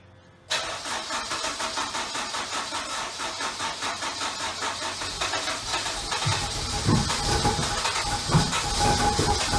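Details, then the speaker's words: Honda-engined Lotus Elise after rewiring: starter churns steadily, about two beats a second, never catches; cranks but no spark because the K100 ECU's immobilizer is still enabled. Owner plans to fit a multiplexer to bypass it. "the engine cranks over and all I need is a spark that's the size of a working fuel system so that's two pumps one starter and sadly no spark"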